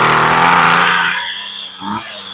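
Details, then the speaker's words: Poulan Pro pole saw, secondhand curb find, test run after reassembly with air filter fitted: cold start on full choke, small two-stroke catches with high buzzy scream settling lower; starts cleanly and sounds strong and healthy. "choke sounds pretty good this thing's ready to go that machine sounds strong it sounds good"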